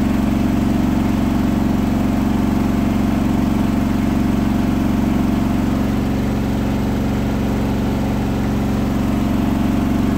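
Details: Hotpoint washing machine at 1400 rpm final spin after balancing; a rolling bath sheet fooled the balancing and was thrown to one side, giving a loud steady roar with rhythmic thump about four per second; unbalanced load during spin.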